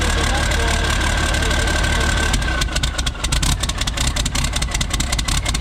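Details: Isuzu cab-over truck, cold start, exhaust straight-piped from the turbo; runs smooth with a harness unplugged but rough and smoky when plugged in. Idle steady, then choppy with irregular sharp pulses; cause not yet found.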